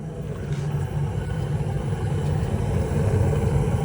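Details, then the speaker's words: Gas furnace in garage, thermostat jumpered for heat: after inducer motor and hot surface igniter glow, gas valve clicks open and a low even burner roar builds and holds with no bangs or puffing; normal burner operation, no flame rollout. "You'll hear a click and the gas valve will open, letting gas flow through. Just a second here. There it is. And we got a flame."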